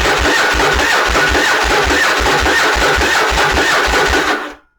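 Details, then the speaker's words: Yamaha Virago bobber with small, aged gel battery, below-freezing start: even starter churning that never catches; cranking drops voltage below 12 V, too low for the TCI to spark, before voltage stabilizer test. "so we'll crank it again it'll just keep cranking it's not ever gonna hit"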